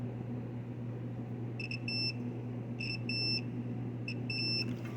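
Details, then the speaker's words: Undercounter cooler with no-cool complaint, 1/2 hp compressor before hard start kit install: meter set to continuity beeps between each pair of compressor prongs over a low hum; windings continuous. "So what we're doing is checking continuity on the compressor. We have our meter set on continuity, and we should have an audible beep between each of the prongs."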